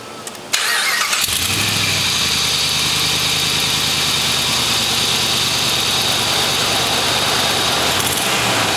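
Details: 2005-2007 Jeep 4.7L V8 after spark plug replacement (old plugs worn, gap 0.006 vs 0.004 spec): brief crank, then catches and settles into steady even idle with no stumble or misfire; sounds healthy.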